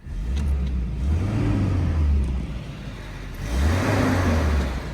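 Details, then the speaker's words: 1990 Volvo 240 DL on its original key fires up promptly and holds a steady, even low rumble with one smooth rise in revs, no knocks or misses; runs exactly as it always has, normal running. "so go ahead and start it [Music] and you can hear it just fires up and"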